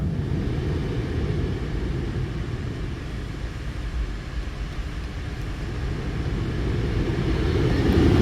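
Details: 2011 Buick Lucerne with no blower airflow: steady low airy whoosh of the blower growing louder as the dial raises speed during testing; fan runs normally, fault traced to a wire disconnected at the back of the HVAC control module.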